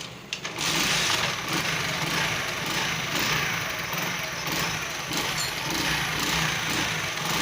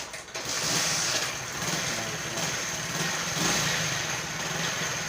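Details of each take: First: Honda single-cylinder motorcycle (CD70 tagged) after fixing engine noise near head/cylinder, timing marks aligned and small bolts fixed: steady, even idle beat with no knocking or rattle; sounds completely fine. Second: Honda CD70 motorcycle engine idling: busy, rattly top-end clatter over the exhaust near the cylinder head, owner says the noise is excessive; cause not yet confirmed.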